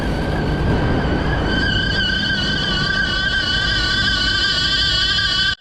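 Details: Lennox 15-ton rooftop HVAC unit with worn V-belt, before replacement: steady high squealing chirp of even pitch over the unit's running rumble.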